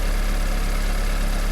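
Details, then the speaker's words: 1991 VW Passat B3 1.8 petrol with a new distributor cap fitted (it misfired before): a steady, even low idle rumble with no stumble; running smoothly. "Ну вот всё работает с данной крышечкой новенькая красивенькая если слышно звук"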